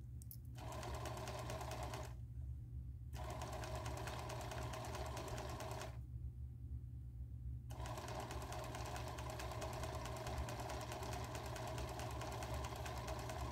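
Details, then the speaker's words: Singer 431G internal motor converted to low voltage, sewing denim with hopping foot on: steady hum under needle beat about three per second, slightly rough and noisy because the motor shaft is slightly out of balance. "well unfortunately it's not quite as quiet as it will be because because the motor is or the the shaft is slightly out of balance as I said before but it works"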